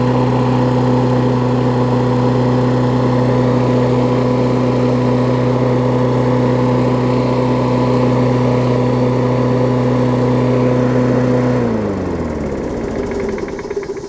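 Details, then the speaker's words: Briggs Classic single-cylinder engine on a Bolens push-mower deck with what was thought to be a Murray blade, after fitting the diaphragm and 10-15 minutes of running: even, steady drone with no surging, knock or vibration for eleven seconds, then clean wind-down at shutoff; running healthy. "but runs great i've ran it probably good 10-15 minutes since i've put the engine on there and put the diaphragm and stuff on there it seems to be fine which is good"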